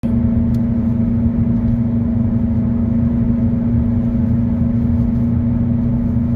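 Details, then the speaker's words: 2009 Kia Optima driving at constant speed: steady low droning hum over road noise, a worn front wheel bearing, later replaced. "This Kia Optima has what sounds like a bad bearing in the front."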